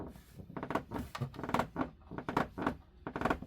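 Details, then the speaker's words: Newmar Dutch Star 4018 motorhome: repeated dry plastic creaks, about one a second, where the A-pillar trim meets the dash panel. Silicone spray didn't stop it; removing the trim did. "you hear it creaking. When you got both sides doing that and you can't stop it, I tried putting some silicon spray down there. That didn't stop it."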